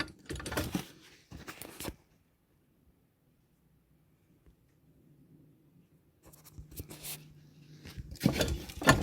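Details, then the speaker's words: Kymco MXU 250 quad, rear axle with completely worn-out bearings: loose metallic clunks and rattles as the stationary axle is rocked by hand, play in all directions, laterally and vertically; disc also binds and squeaks when turned. "ressemble a du jeu dans tous les sens si bien en latéral qu'en hauteur donc on va tout démonter"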